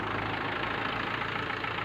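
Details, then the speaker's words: Mahindra Swaraj 843 diesel tractor that had needed several turns to start now starts in one key turn and idles steadily with no misses. This is the test of injection pump versus engine fault. "तो अभी आप देख सकते हैं हमने इसको start किया तो एक ही चाबी में ये स्टार्ट हुआ कंप्लीट। जैसा कैप खोलने के बाद हुआ था वैसा ही इसकी स्टार्टिंग हो चुकी है।"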